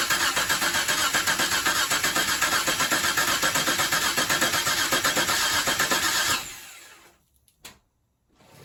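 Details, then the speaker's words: 1989 Mitsubishi Montero Gen 1, first start attempt after engine reinstall with new clutch: even starter cranking at about four beats a second for six seconds, engine never catches. Owner suspects ignition timing is wrong, unsure if advanced or retarded. "Yeah, I don't think that timing is right."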